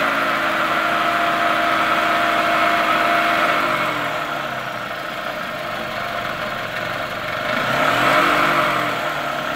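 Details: 2003 Toyota Camry engine, 200k miles, shredded belt replaced, tensioner not: quick light ticking about three a second over the idle, persisting as revs swell and dip; lifters and camshaft, plus the timing idler, blamed; the engine was replaced.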